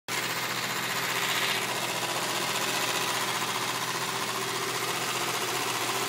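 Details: BMW M3 E36 engine idling after a burning smell appeared following a hard run: fast, steady metallic ticking chatter that doesn't change over several seconds. Abnormal engine noise, cause unknown.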